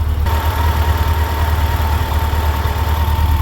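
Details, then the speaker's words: Yamaha FJR 1300 motorcycle idling stationary, warmed up after a coolant change, first in 20 years: steady low idle with faint fan whir that then cuts off, showing cooling works normally. "voilà ils viennent de se couper donc qu'est-ce que ça veut dire ça veut dire que globalement on a réussi le niveau du refroidissement et nickel on est parfait au niveau de nos zones"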